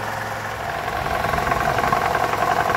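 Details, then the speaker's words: 2012 Toyota Camry 2.5 2AR-FE after balance shaft replacement, idling after about 10 minutes at normal operating temperature: steady, even hum with no knock, and the earlier low-rpm rattle is much improved. "so we've been running for about 10 minutes we're at normal operating temperature and this is the noise so it's way"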